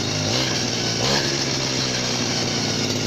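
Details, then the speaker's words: Chinese RBC411 two-stroke brush cutter, about 8 years old, revved to full throttle; high buzzing with a thin steady whine on top, gear head running hot, greasing to be tried: gear head whine. "ต้องลองอัดจารบีดูนะครับเสียงเกียร์หอนครับ"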